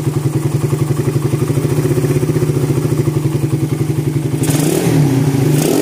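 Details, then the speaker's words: 2014 Suzuki Satria FU after a failed bore-up with a jammed kick starter, now fully rebuilt: crisp pulsing rises evenly with throttle, with no knocks or rattles. The engine is responsive, though its engine bearings were noted as rough. "untuk mesinnya sudah responsif ya."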